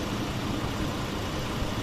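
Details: 2009 Chevy Colorado 3.7 after thermostat replacement, running to bleed coolant, warming toward about 88 degrees: steady, even low rumble with no knocks or misses; idles smoothly, the AC-off light has cleared and the temperature gauge now rises.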